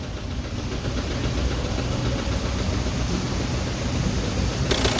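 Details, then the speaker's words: Audi Q3 2.0 TDI diesel idling with white smoke and oil consumption: heavy, uneven knock about three to four a second and stumbling misfire; head removed, bent valves found. "Engine काफी ज्यादा टक टक टक करके आवाज कर रहा है इंजन और मिसिंग भी इंजन में मिस फयर भी है और आवाज बहुत ज्यादा कर रहा है"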